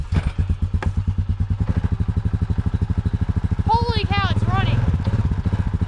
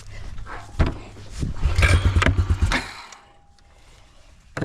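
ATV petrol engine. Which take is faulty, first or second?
second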